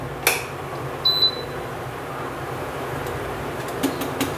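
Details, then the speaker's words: Induction cooktop switched on with its on button: a click, then one brief high beep over faint room hiss; normal power-on beep. "మీకు ఒక sound వచ్చింది ఇక్కడ. ఇది on button అనమాట."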